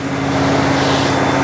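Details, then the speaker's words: Rebuilt Buick-designed aluminium V8 in a 1980 Rover 3500 SD1, running with fresh paint burning off the manifolds: steady, even deep hum, no knocks or misses, louder and smoother than before; oil pressure light then came on, normal running. "Non suona male, però. - Suona bene. È molto più rumoroso di prima. Molto più forte."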